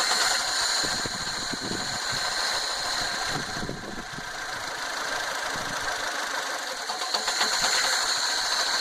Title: 2009 Fiat Panda 1.1 misfire - broken/bad wire